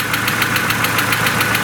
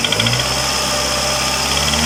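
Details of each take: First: Mercedes A140 (W168) petrol engine at idle after start: fast, even ticking about seven a second from faulty hydraulic lifters, two found not working; suspicion confirmed under the valve cover and the lifters were replaced. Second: Mercedes A140 (W168) revved after replacing the ticking hydraulic lifters. Engine climbs and falls through clean revs with smooth pitch changes and no top-end ticking; normal revving, lifter noise gone.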